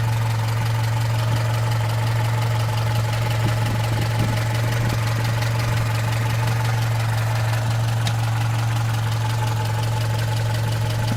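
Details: Opel Rekord P1 long-version engine: deep steady idle with light quick clacking keeping pace with engine speed; source unclear.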